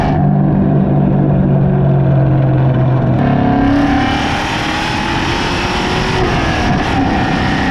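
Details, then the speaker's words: Cammed SN95/New Edge Mustang GT driving after an IAC valve restrictor plate was fitted, GoPro on the rear bumper: the V8 pulls up under throttle, then revs fall cleanly on each shift and settle with road noise behind; the hanging RPM is gone. "this kind of gives you the best demonstration of the difference that the idle air control valve did indeed make"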